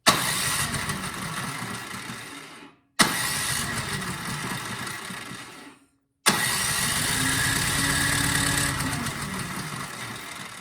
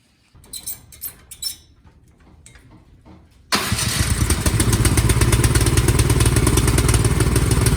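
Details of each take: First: Cub Cadet 528 SWE snowblower that won't start, spark test with the plug held against the valve cover. Three long cranking bursts that never fire; very weak spark. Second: Cub Cadet 528 SWE snowblower after replacing the weak-spark magneto coil: a few pull-cord tugs, then the engine catches and settles into a fast, steady, even beat with no misses, running properly.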